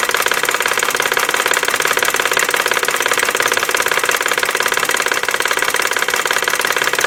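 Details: 1999 BMW 540i 4.4L at idle: quick fairly even knock, about three per second, from passenger side of engine, origin unknown; oil seen pumping at open oil cap while idling.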